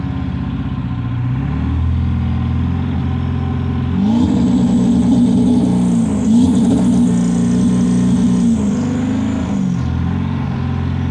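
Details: 7.3 PowerStroke diesel floored, blowing blue smoke: revs up hard and holds high with a rough uneven pulse through the drone, misfire under acceleration; cause suspected, not confirmed.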